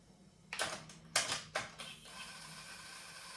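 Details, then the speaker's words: Sony TC-WR670 double cassette deck in for repair, belts and rollers likely worn; forward play works but reverse play gives a few sharp mechanism clicks and faint motor whir, transport fails to engage reverse, flywheel seemingly stuck. "Назад. Не, не може."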